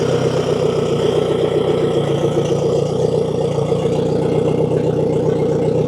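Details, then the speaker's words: Outboard motor after a replacement tensioner with welded stock bracket: steady, even drone with an unbroken beat, no knocks or rattles; running healthy, ready to sell. "So, now that the engine runs good, it's ready to sell."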